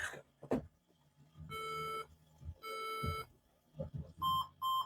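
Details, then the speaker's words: Laptop with no display and corrosion from liquid damage near the power switch, powered on from the charger without the battery. Two long tones then two shorter high beeps, with a black screen. This RAM fault beep code traced to a faulty RAM module. "you hear that sound? So the same is telling us that the RAM memory either is no longer responding with the system."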